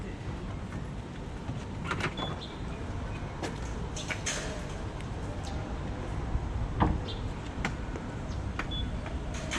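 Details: Tesla Model 3 (Variant B) with newly installed EVOffer electric frunk kit (Mark 4.0), soft-closing latch, struts and buzzer, test run: soft motor hum, light latch clicks and closing thud, unstrained; working normally.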